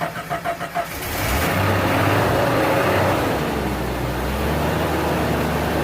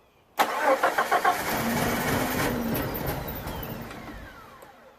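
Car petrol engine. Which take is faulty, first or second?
second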